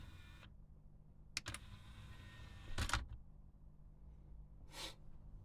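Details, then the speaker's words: Denon DRR-M30 cassette deck after a simple fix and belt replacement: in a quiet room, a short motor whirr with a few crisp clicks as the mechanism cycles cleanly; the transport works normally. "Right, and that is how that mechanism works."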